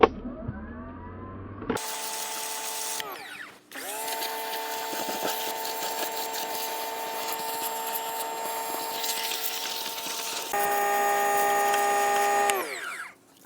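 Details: Pressure washer after pocket fuzz was cleared from a clogged nozzle tip with a piece of wire: a steady, high motor whine with hiss, running in bursts of several seconds and holding pitch. It is spraying normally again.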